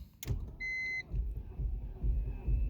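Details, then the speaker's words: 2002 BMW E46 316 with N42 engine, cold morning, around the 11th to 13th crank attempt on a new battery: uneven low starter pulses, turning over but not catching. Recently changed to 5W40 oil; the problem also occurred with 10W40. The no-start cause is unconfirmed. "You can hear from 11th time she starts to make bop bop bop, and yeah, you can see by yourself that I'm killing my battery now."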